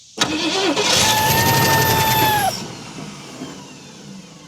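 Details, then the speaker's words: 1968 Ford Mustang sitting 30 years, first start: fires and runs about two seconds with a high whistling tone that sags, then dies; source of noise unknown; unidentified noise on start-up. "I don't know what that noise was, but she's going to run, guys."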